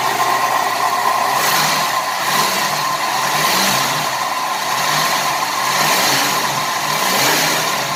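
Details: 1988 Buick Reatta 3800 V6 restarted after sitting 10 years: rough, lumpy stumbling idle with a faint rattle; still misfiring, owner suspects an injector because of raw fuel after long storage.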